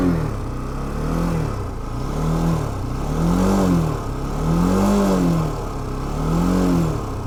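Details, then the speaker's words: NH190 motorcycle parked, revved in blips; light loose rattle from the front end over the engine, owner suspects loose or missing bolts shaken free by vibration, not the engine; cause unconfirmed, mechanic to inspect. "parece ser o barulho de alguma coisa solta aqui na frente eu acredito que não seja nada no motor"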